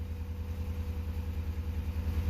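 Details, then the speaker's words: 2004 Crown Victoria Police Interceptor V8 after codes were cleared, idling and revved: deep lumpy rumble that stumbles unevenly, a misfire the scanner reads as cylinder 8. "Let me rev it. Ooh, I can hear that miss. All right. Come on, you. There we are. All right, cylinder 8 misfire."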